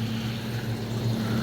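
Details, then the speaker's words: Hot tub two-speed circulation pump (pump one) after replacing a damaged impeller with a new pump assembly, run on low speed to purge air; no leaks: steady low hum, even drone, no gurgle or rattle. Running smoothly. "pump one that should be my pump looks good no water leaks listening for air or anything you can hear when there's air in a pump like that"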